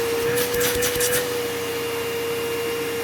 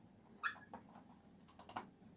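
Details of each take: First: Curb-find old Bissell PowerForce Bagless 6594 upright vacuum, first run before refurbishing; steady high whine, smooth wind-down after switch-off, bearings okay, fan not off balance, no buzzing or vibration: tired but serviceable motor. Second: Bissell PowerForce Bagless 6594 vacuum cleaner being refurbished, moved by hand with no motor running: two short, high, yelping squeaks from the wheels; squeaking wheels.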